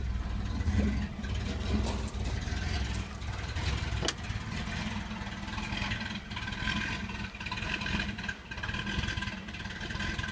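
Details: Chevy Blazer S10, hard to start, with a hunting, shaky rough idle with occasional clatters and dips; fuel pressure steady at 60-62 psi, so pump and regulator likely ruled out; almost chokes at full throttle, runs fine above 1300-1500 rpm.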